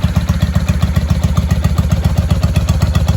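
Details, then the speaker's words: 1995 Honda Shadow VLX VT600CD, first start after cleaning switch contacts and rewiring, spark restored, carbs fuelled, air filter off: loud, even V-twin idle through unbaffled exhaust, steady lope; fired right off and runs clean. "Now that we have spark, she fired right off."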